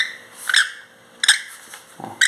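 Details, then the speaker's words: Ford Fiesta engine noise when accelerating, removed water pump spun by hand: sharp high squeaks in short bursts matching the engine noise; worn water pump bearing, fixed by replacing the pump after an alternator belt swap didn't help. "girando vocês podem ver que tá fazendo o mesmo barulho que fazia lá do motor ó girando rápido né"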